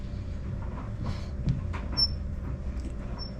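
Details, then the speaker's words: Rented clothes dryer: low tumbling rumble with thin high squeaks about a second apart. Owner suspects the drive belt around the drum housing, squeaking worse as it gets hot, and possibly an unbalanced drum. Not confirmed. "I think that's the belt. It goes around that housing, the the uh the Yeah. And as it gets hot, it's going to start to squeak."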